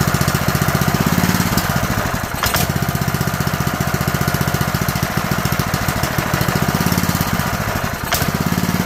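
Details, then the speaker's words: Honda GX160 junkyard engine after a makeshift carburetor rebuild, on fresh gas: it putters along fast and steady but only holds on partial choke, because the carburetor jet is still partly clogged. "So it runs, but it has to have partial choke on it in order to run. What that tells us is that our jet is partially clogged still in this janky carb rebuild."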